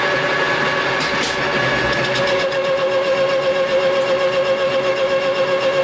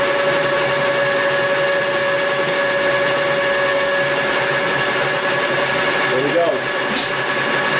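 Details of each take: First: Lathe facing cut at 0.050 in depth: a steady ringing tone with an even cutting hiss throughout, no chatter or bogging. Normal cutting within capacity. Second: Lathe facing cut at 0.075 in depth with a CNMP negative insert with positive action: a steady motor hum whose pitch sags as the tool bites in. The lathe bogs under overload; the cut is too deep for the insert.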